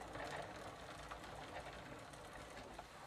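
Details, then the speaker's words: 1990 Gazelle bicycle with a Sturmey Archer three-speed hub after WD40 treatment, all three gears now working: light even pawl ticking in first gear, lighter pedalling, no grinding or slipping; normal operation. "And now I'm moving to first gear. That, yeah, it is lighter :) And it also sounds different."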